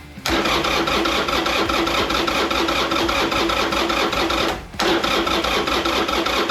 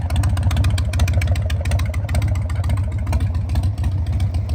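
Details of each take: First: 2001 Harley-Davidson Sportster 1200 custom, carbureted, sat about 3 years, choke pulled: two long bursts of steady, rapid starter cranking that turn the engine evenly, but it never catches. Crank, no start. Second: 2001 Harley-Davidson Sportster 1200 custom V-twin, after sitting about 3 years, running at a steady low idle with an even loping beat and no misses after clearing a completely clogged idle jet; normal running.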